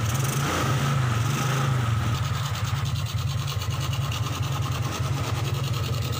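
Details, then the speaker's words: 2003 Suzuki Smash 110 motorcycle: hard starting, dry uneven popping and stumbling when throttle opens; low charging voltage measured on multimeter gives weak 12 V supply to the CDI ignition, causing misfire. "Jadi untuk berbet di kelistrikan itu mirip seperti telat bensin, cuma dia agak kering suaranya ya. Kalau di gas seperti telat bensin seperti ini, gelepak-gelepak ya."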